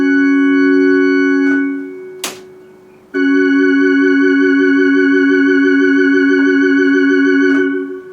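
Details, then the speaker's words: Eminent Solina F225 vintage analog organ after repair, testing the Orbitone. A held chord with an even wobble that speeds up, then slows back down; the rotary vibrato now works properly, fixed. "You can hear it spinning up faster and then slowing down again. Oh, what can I say? Fixed it."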